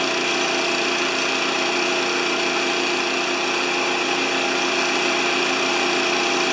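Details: Honda GX160-powered wheelbarrow air compressor, serviced with fresh oil after the customer suspected a governor fault; after pressurizing it drops to a smooth, even idle with a steady rapid beat, no misses or knocks. Normal idle.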